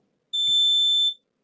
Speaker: The capacitor was getting charged. Ha! So we have no short, which is beautiful.